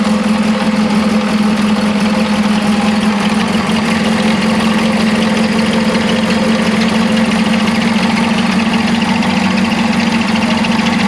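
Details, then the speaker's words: 1975 Chevy Vega Cosworth Twin Cam after sitting 20 years, oil sludgy and smelling of gasoline: rough idle with a dull knock buried in a steady drone; suspected top-end, cam cover may need to come off to confirm. "yeah i don't like that it's knocking like that chas was saying we might have to pull the cover off and take a look and see because it sounds like it's up here right"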